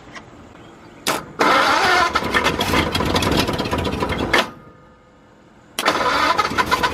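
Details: 1953 Ford truck, new engine first start, after verifying number 1 at top dead centre with the head off, no coolant hooked up: it cranks and fires, stumbles out, then restarts and keeps running; the engine runs.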